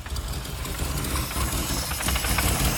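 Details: Austin 1100 with a rough idle and not revving: an uneven, lumpy, stumbling idle with no clean rhythm; cause unclear.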